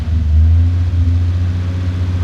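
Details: Ford Fairlane V8 running just after sump leak repair and fresh oil fill, checking for oil pressure: deep, steady rumble settling into an even idle with no knocks or ticks; engine running healthy.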